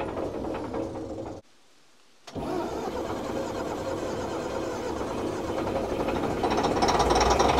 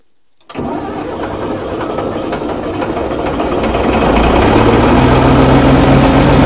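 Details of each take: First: Old Fiat-Allis bulldozer, about D6 size, six-cylinder diesel, left sitting in the bush for years. Steady cranking chug, three to four beats a second with a brief pause, never catching; crank, no start. Bleeding the injector pump is tried next. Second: Old Fiat-Allis bulldozer, about D6 size, six-cylinder diesel, sitting for years, cranked at full throttle with one of six injector lines cracked. It catches after a brief crank into steady diesel clatter at fast idle; a normal, healthy cold start.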